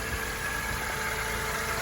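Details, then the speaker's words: 2004 Mercedes SLK 230 automatic, 55,000 miles, warm idle with the bonnet open: smooth, low, steady hum with no knocks, ticks, misses or grumbles; normal idle. "I'm sure you can appreciate there are no grumbles or anything like that."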